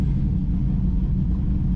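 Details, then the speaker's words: Z28 V8 engine, still cold and warming up, smelling slightly rich: a deep, even rumble idling in gear without sagging, hunting or stalling. "Alright, well, it's idling in gear. See what happens. Well, at least we're not running 30 at idle."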